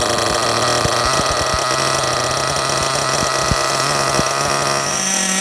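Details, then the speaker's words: Kyosho MP9 TKI4 V2 Readyset nitro car on stand, first start, break-in on first tank: fast buzzy idle with uneven pops and spits; idle screw deliberately turned up high to help it fire, mixture very rich. "Now you can hear the idle's pretty high. Just with that, that's to help it fire into life the first time. Now you can see how rich that is."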